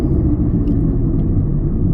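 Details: Steady deep rumble in the cabin at about 40 mph with clamp-on electronic noise detector sensors taped at the wheels: worn wheel bearings, more than one (sensors two and six flagged).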